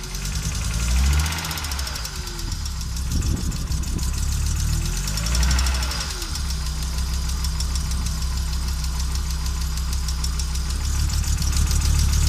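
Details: Audi Coupe after swapping NG engine for AAR engine, hard to start and stalls when driven: uneven, stumbling idle with irregular low thumps and speed dips; misfires, rough idle, cause unknown.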